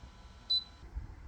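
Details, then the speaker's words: Ryobi RYI1000 1800W power station about 19 hours into running a refrigerator at 4% charge (flashes below 10%): one short high-pitched beep in a quiet room, the low-battery warning before it died; warning beep. "do you hear that beep we've got 4% left now when you hit 10% this thing starts flashing it's nice it's helpful"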